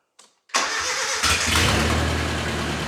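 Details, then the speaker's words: Nissan 910 Bluebird wagon, radiator filled with plain water to test it: engine catches after a short crank into a steady, even, throaty idle with the fan working; normal start and idle. "Man, that's sweet. Fan's working well. That's got a bit of a raunchy sound to it, I like it."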